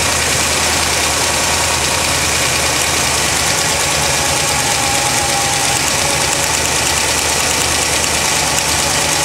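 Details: 1980 Corvette, slightly uneven idle with fast sharp ticking, owner thinks plugs may be arcing but pulling plug wires makes little difference; engine ticking at idle, cause unknown.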